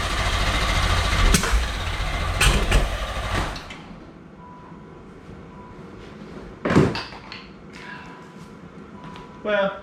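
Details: 1987 Pontiac Fiero GT 2.8L with a carb intake, after refitting the distributor: the starter cranks about three seconds with a few uneven chuffs but never catches. The carb float needle was missing its clip, and the choke is suspected.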